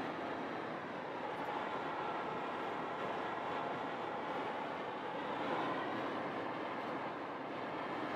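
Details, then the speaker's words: 2021 Toyota RAV4 at 55–60 mph, in cabin: steady loud rushing hiss, no knock or whine; heavy wind noise, source unknown, owner suspects roof crossbars and rain guards. "it's gonna be the wind noise wind noise is crazy i still can't figure that out"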